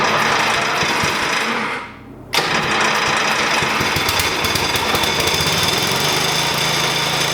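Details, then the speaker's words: 1988 Dixon ZTR 311 mower, Briggs & Stratton 11 hp engine, air filter off, choke on: dies on cranking, then catches and runs with a rapid, rattly clatter on fuel poured in; spark present, fuel-supply problem. "whew we got it to start okay so um we now know that uh there is gear there is spark and we have a problem with fuel right"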